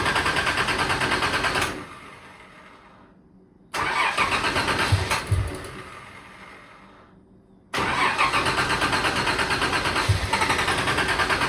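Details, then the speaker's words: Turbo Nissan Z31 cold start after sitting a while, tune not finished, new exhaust: cranks, catches and dies twice, then settles into an uneven, lumpy idle. Rough cold start; owner blames the unfinished tune. "It does take a little bit just because the tune's not there all the way, but we'll get it started."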